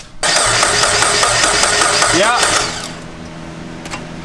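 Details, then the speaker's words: JDM right-hand-drive turbo Miata on its first start attempt, possible bad ground or bad starter suspected; starter turns the engine over evenly about three turns a second but it never catches, spark test next: cranks but won't start, cause unconfirmed. "Bad starter? All right, so we're gonna first test for spark because that's the easiest and obvious thing to do."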